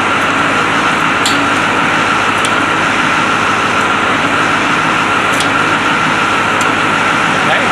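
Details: White 4-175 tractor, restarted after rear main frame repairs: remote valves fitted, hydraulic oil filled, speed sensors not yet installed. Steady, even engine drone with no knocks or hunting; normal running.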